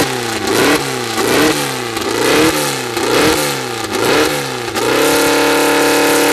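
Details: First start of a freshly built 2054 flat-four, carburettors barely adjusted, no final exhaust fitted: loud, raspy throttle blips about once a second, then a steady, strong run; revs cleanly, running well from the start.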